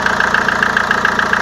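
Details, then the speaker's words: Renault Velsatis 2.2 dCi, cold start at +18 °C outside, oil level normal, heard at the engine: sharp, even tick about seven times a second over the idle, loud; hydraulic lifter tick, lifters to be cleaned. "Слышно, как они сильно стучат. Вот. В дальнейшем буду показывать, как все это будем разбирать и как будем чистить гидрики."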